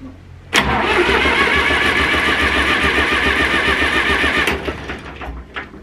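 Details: Zetor 4911 tractor diesel, stored in a dry shed since last run 3 Oct 2012 (engine renovated just before storage), with a loose core plug at the back of the head: fires at once into harsh fast clatter, holds about four seconds, fades; first start after storage.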